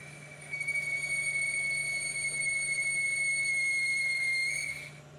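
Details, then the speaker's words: 1973 Hardinge chucker lathe boring cut: sharp, steady high whistle rises and holds about four seconds before fading; boring bar chattering, not cured by slowing or speeding up or by adding a second clamp screw; a different bar is needed. "Slowing didn't help it. Going faster didn't help it."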